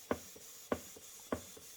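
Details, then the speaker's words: Model 19th-century Mary beam engine on compressed air, just re-oiled including displacement cylinder, sped up as oil worked in: crisp even puffs about every 0.6 s with light clicks; smooth and steady. "Don't want anything going dry. That's sped up then, so the oil worked."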